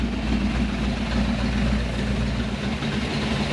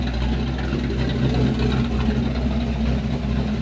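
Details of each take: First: Chevrolet Malibu small-block V8 just after a new top end (heads not replaced), rockers not yet adjusted, so some valvetrain noise: deep, even idle with no misses or knocks, oil pressure above 40, temperature coming down, a normal idle. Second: Chevrolet Malibu small-block V8 idling after new top-end install: light quick ticking over steady idle, thought to be noisy valves with rockers not yet adjusted; runs and idles well, oil pressure above 40, temperature coming down.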